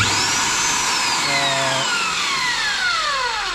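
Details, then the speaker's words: Magnetic drill after repair with replaced field coils and bearings (another with field and switch replaced): high, smooth motor whine winding steadily down in pitch with no grinding or rattle; motor runs powerfully and normally. "This sound work very powerful."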